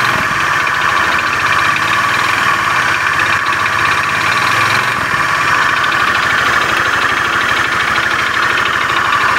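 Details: Honda Beat FI scooter (complaint: rough starter and engine) at steady idle with a fast, coarse metallic klotok-klotok clatter; mechanic attributes it to a worn, damaged con rod (stang seher).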